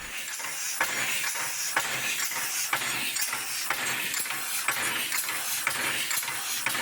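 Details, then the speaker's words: Air-powered model locomotive run from a 120 PSI tank: constant loud hiss with a soft chuff about once a second; it runs only a little over 2 minutes at about one bar working pressure, so air consumption is high. "so we filled her tank to 120 PSI and timed how long she would run which wasn't very long it's not much more than 2 minutes it's not great really she does use a lot of air"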